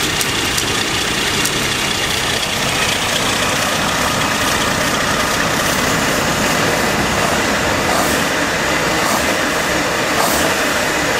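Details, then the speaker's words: Warm AMC Eagle engine with a newly fitted carburetor and the electric choke possibly installed backwards. It holds a fast, steady idle that never drops back; the owner suspects the choke not releasing and a vacuum leak at the carb or intake manifold, unconfirmed. "plus i need to figure out where the [ __ ] that vacuum leak is that that's the only reason why i could think of why it would idle up with more coke"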